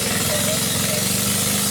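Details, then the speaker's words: Ford Escort at Rufford Ford, started with one spark plug removed after water got in: uneven, lumpy idle with a steady off-beat pulse, running on three cylinders; with the plug refitted it later runs well. "that is a three-cylinder escort running on all three cylinders"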